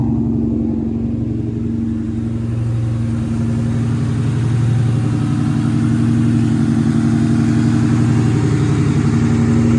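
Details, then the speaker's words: Mustang V8 with new TPS, IACV and MAF and a replaced severed O2 sensor: hiccups at start, then a steady raised exhaust drone holding about 1500 rpm, maybe dropping to 1300–1400. Idle too high, returns there after a throttle blip. "so first you could hear it kind of like hiccups to start and now it's at a pretty constant 1500 it might drop a little bit to about 1400 or 1300"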